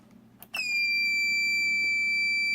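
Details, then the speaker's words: First power-on of a newly built desktop PC with reused parts, before the case is fully assembled: a single sharp, high-pitched beep comes on and holds steady without stopping; cause unknown. "a beeping noise wonder what that's coming from give me just a minute really sounds terrible but I guess it's progress anyway"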